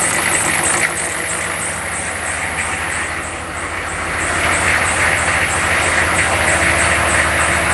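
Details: Diesel after replacing the glow plugs (only two of six old ones worked and it would not crank up): steady clatter settling into an even idle with a regular beat and no misses. It starts and runs healthy.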